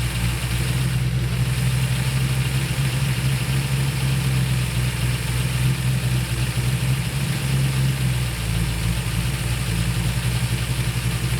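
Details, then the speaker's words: During a tune-up of the 1968/69 Ford Torino GT 390 FE V8s, the V8 holds a steady fast idle that won't drop. The idle screw is fully out, yet the spark port still shows vacuum. The owner suspects the accelerator pedal is holding the throttle open; dwell seems okay. "I take the screw all the way out doesn't get any slower and it's already pulling back in none of that makes sense"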